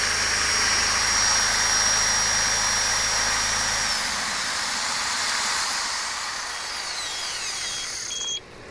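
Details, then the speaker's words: Homemade inverter running a battery charger, a 7.5 amp Sawzall and a 1/2 hp 5 amp drill at once: a steady, even whir of the tools without bogging, plus inverter beeping. The tools run normally on inverter power. "So y'all bear with me here while I unplug this unit and we see if it'll operate this equipment. As you can hear, the unit's kicked in."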